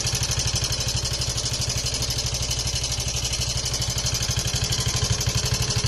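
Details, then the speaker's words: Yamaha Mio i 125 scooter before repair, idling: steady idle around two beats a second with a loud, busy metallic clatter over the exhaust; engine noisier than normal, and it ran quiet and smooth after the repair. "Kita nyo naman kung paano. Kita nyo kung paano kaingay."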